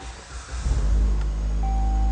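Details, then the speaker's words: 2015 Dodge Journey 2.4L, after fixing a no-crank, no-start condition (BCM replaced, loose connector found): the engine catches and settles into a steady, even low rumble. It is running normally, though the check engine light is on. "course, we got a check engine light on, but we got a running vehicle."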